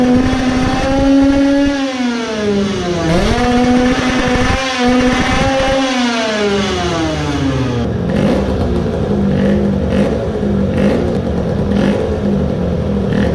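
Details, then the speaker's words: Tuned two-stroke moped engine on a dyno, with large weight removed; it screams up toward 14,500 rpm, then the note breaks up with repeated coughing stutters near the top. High-rpm misfire, possibly running lean, not confirmed. "it might have revved a bit higher than before it ran out of steam at 14500 now it again looks like it has gotten worse."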